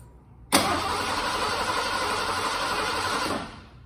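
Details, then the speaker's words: 1986 Ford F-150, fuel-injected, sat 15 years, new in-tank fuel pump fitted, fresh fuel and Sea Foam: about three seconds of steady cranking, no firing; crank no start, no fuel getting past the high-pressure pump, replacement pump obtained. "well we still haven't gotten the ford started yet we figured out we weren't getting fuel past our high pressure pump so we finally got a new one of those"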